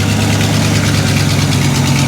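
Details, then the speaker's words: Square-body jump truck V8 just cold-started, choke on: steady idle with a raspy puffing hiss over the rumble from a serious exhaust manifold leak; oil pressure good, charging, some transmission fluid leaking. "we got some serious exhaust manifold roof over here it's going to be okay"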